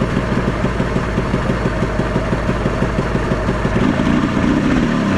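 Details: Ski-Doo Mach 1 700 triple-cylinder two-stroke snowmobile, previously seized, cold: runs with uneven lumpy beat that wavers and starts dying out, like starving for fuel; runs briefly then falters, cause unconfirmed.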